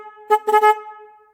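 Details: Car horn powered directly by jumper wires to battery positive and negative to test it: loud, clean, steady tone in a few short blasts with quick fade, no rasp or sputter; horn itself works.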